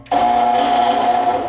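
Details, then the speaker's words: Furnace blower motor gives a steady mid-pitched electrical buzz and never spins up; the capacitor tested good and a new one had no effect, so the blower motor itself has failed. "Jesus a new capacitor had no effect on that buzzing sound 's like a bad motor"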